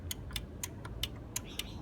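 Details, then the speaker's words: 2017 Jeep Cherokee with a P0688 ASD/main relay sense circuit fault that persists after a new PCM: the K2 relay in the fuse box clicks sharply, about four times a second, over a quiet hum the moment power is applied while testing the wiring. "so i'll check the 2 power and the moment i place it you can hear it clicking"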